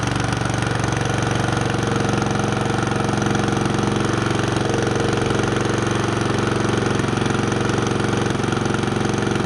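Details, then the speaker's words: Wood chipper single-cylinder engine after installing a new drive belt: steady, even beat with no slipping squeal or knock, belt engaging cleanly; normal running. "we're going to start it up let it run for a minute and uh make sure that the belt's engaging and everything's good"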